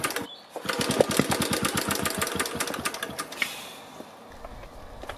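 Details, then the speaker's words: BSA 300 watt ex-military generator (Chore Horse), valves reground, points cleaned, on choke with a flexible exhaust pipe: rapid cranking with a few muted firings that never catch; weak spark, magneto coil secondary open circuit, timing suspect. "noticed that the engine did fire on a few of those attempts and it did that many more times when the camera wasn't rolling but in each case it sounded pretty muted like the spark was too"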